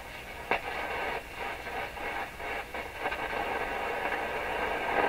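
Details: Rogers 11RA651 shortwave radio after replacing paper/wax capacitors, warming up, volume up: steady hiss and roar with occasional faint crackle and pop. The owner suspects tube pins expanding in their sockets or heating/cooling issues.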